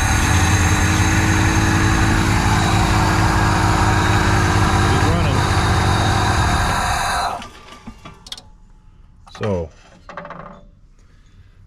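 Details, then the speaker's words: 1987 Ford van, long-parked former school van: running on flammable brake clean sprayed into intake, roars evenly about seven seconds then dies completely, confirming no fuel is reaching the engine. "thing isn't getting fuel."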